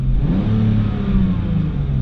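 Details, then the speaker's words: BMW E46 six-cylinder after replacing the one faulty ignition coil: idle very regular and revs climb smoothly with no stumble, where before the rise was jerky; misfire fixed, all six cylinders firing. "il minimo è veramente molto regolare e l'audio sale di giri in maniera perfetta"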